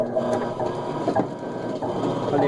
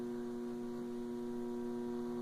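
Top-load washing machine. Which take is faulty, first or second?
second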